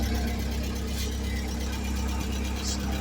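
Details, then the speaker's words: 1979 Fiat idling after a new fuel pump, relay and fuel pressure regulator, with the engine said to run beautifully. Steady, even low idle with a smooth hum and no knocks or misses: normal idle. "And the engine runs beautifully."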